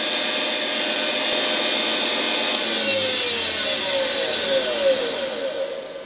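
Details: Lathe powered by a washing machine universal motor, belts removed: loud high-pitched whine with hissy brush noise, tone sliding down as it spins off; noise comes from the motor, not the spindle, before bearing replacement.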